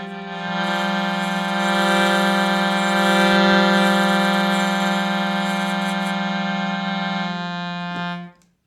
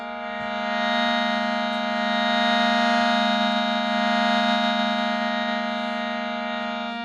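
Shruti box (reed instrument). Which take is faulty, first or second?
first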